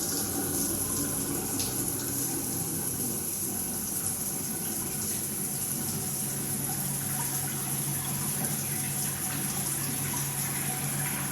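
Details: Multifunction shower system with poor overall flow: a steady low hum under rushing water while the body jets run, with slight vibration felt at the shower valve; cause unknown.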